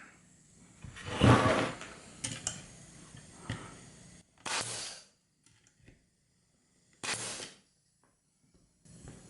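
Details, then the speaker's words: Porter Cable FN250C 16-gauge nailer dry-fired on air after a repair and two or three drops of oil (slight leak noticed at hookup), before loading nails: sharp single air blasts, each cycling cleanly with a short hiss; normal firing. "it help it's fired so it's working now let's put some Nails in it give it a test"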